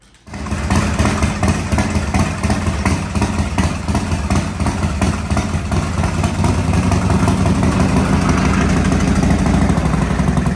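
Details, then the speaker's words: 1985 Harley-Davidson FXRS Evo V-twin, sat five years: catches and settles into a lumpy, uneven low idle with wandering beat; owner suspects a carb or air issue. "all right well we're running I think they're having problems with the carb leaking though um not leaking the bul but it's just kind of running out so I think there's an air issue with it"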